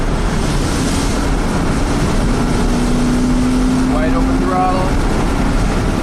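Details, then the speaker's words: 1996 Chevy K2500 350 V8 on a road drive after its lean P0171/P0174 fault was repaired: steady, deep engine pull under load over road and wind noise, no misses, pops or knocks; truck feels really good. "let's hear this Chevy Thunder oh yeah this truck feels really good"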